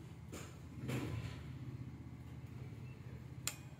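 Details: Konzert AV-733BT power amplifier with a no-sound fault (powers on, bias voltages normal), plugged in and switched on: low hum, then one crisp click as the output protection relay pulls in; normal relay engagement.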